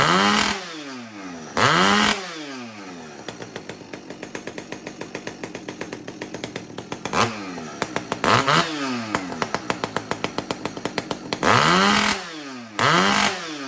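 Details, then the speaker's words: Husqvarna 575XP chainsaw running with a newly fabricated exhaust pipe after a failed stock muffler mod; loud revs in bursts with a burbling, uneven idle between, quieter than the straight pipe; the carburetor still needs a little tuning. "Well, as you can hear, I got a little bit of tuning left to do, but yeah, it's loud. It's not horribly loud, certainly not like that straight pipe being on there."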